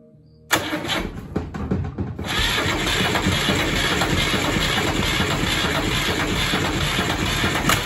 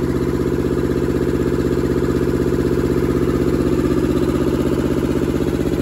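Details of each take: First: Deutz F2L511 two-cylinder air-cooled diesel out of a forklift, sitting about 5 years; starter churns it over in uneven bursts but it never catches, no exhaust smoke so no fuel, owner suspects the throttle or governor. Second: Deutz F2L511 two-cylinder air-cooled diesel with belt-driven fan, ex-forklift, sitting about five years, first run after revival: crisp, very even chuffing about four beats a second, no misses or extra knocks; normal healthy idle.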